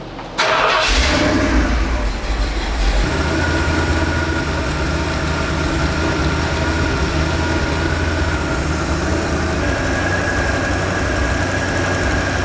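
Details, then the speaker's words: Big-block 460 V8 (swapped in) after idle mixture screws adjusted; rear needles had been fully in, no fuel, now opened up: short crank, then steady, deep, even idle with no stumble or miss, running great. "so the backs were completely in even though I backed them out a full turn there was no fuel getting them once I opened up those back needles man this thing is great now just great"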